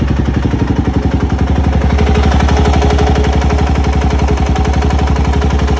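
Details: 2004 LTZ400 quad at idle: heavy, steady rapping about four knocks per second over a loud, low idle. Engine knocking, cause not yet known.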